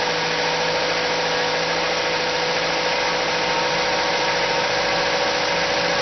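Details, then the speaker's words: Car whose engine revs up at cold start and stays high in N or P until shut off, even while braking: fast, busy, steady idle with a bright buzzy edge that never drops; owner suspects a vacuum leak, carb cleaner spray test found none. "up, not down, rev up until I shut down the engine. So I think there is a vacuum leak in anywhere."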